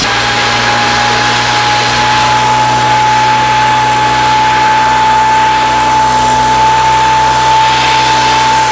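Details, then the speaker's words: Weathered 29cc four-stroke Craftsman Speed Start curved-shaft trimmer with convertible leaf blower attachment, cold start with makeshift air filter cover: steady, even high-pitched buzz with constant pitch, no misses or rattles; idles smoothly. "so all right four cycle speed start by craftsman with the convertible attachment being a leaf blower uh that works a lot better than i actually thought it would i've never used one of those on a trimmer runs really well like it a lot"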